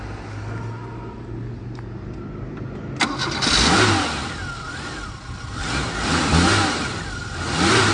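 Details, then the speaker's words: Dacia 1410 Sport, rebuilt 1986 carbureted four-cylinder Renault-derived engine: starts, settles to steady idle, then smooth rising and falling revs with no knocks or misses; normal idle and revving. "Let's not upset the environmentalists with idling the engine. But yeah, that's the sound of the freedom in the 80s."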